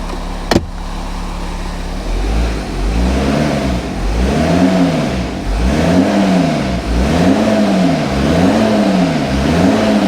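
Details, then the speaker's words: VW Touareg diesel just after first start following sump refit, no power-steering fluid: revs rise and fall smoothly through repeated even blips with no knocks, rattles or ticks; normal revving. "That engine sounds really good."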